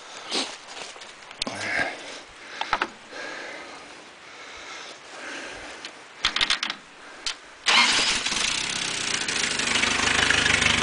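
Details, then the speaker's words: Engine in a hot-tub rig, owner suspects failing head gasket from water in oil, after exhaust head-pipe repair and new open dual straight-pipe exhaust: loud, raspy, even idle with no leak or rattle; normal idle with open exhaust. "i like it um um sounds good"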